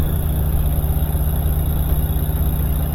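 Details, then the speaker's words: Older GE washing machine after replacing the failed drive motor and fitting the drive belt, pump on: steady low hum with slight rhythmic throb, no grinding or squeal; normal pump operation, confirming the old motor was the fault. "yeah see it wouldn't even do that the other day all right yep it was the motor"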